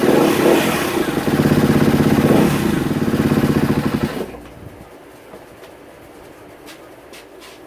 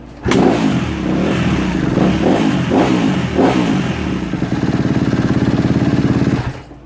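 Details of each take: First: 2016 Kawasaki KX250F after sitting about five minutes: revs unevenly for about four seconds then abruptly dies; owner recognises the sound of the fuel pump not working. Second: 2016 Kawasaki KX250F after fixing a bad fuel pump connection, reconnecting the pump so the computer accepts it: single fires right up, takes a few sharp throttle blips, then settles into a crisp, even idle; normal running.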